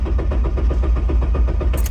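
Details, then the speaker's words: Honda Civic cranking after its fuel injectors were switched off with a Launch X431 CRP919E scan tool; even, heavy cranking about five beats a second that never fires: crank, no start. ECM reset is needed before it will start. "it obviously worked because the car will not start."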